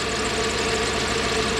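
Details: Toyota 1UZ-FE V8 (Surf/4Runner) running on one bank, only 4 cylinders: rough, choppy idle with missing pulses. Onset was sudden; burnt, worn-through oxygen-sensor wiring was found.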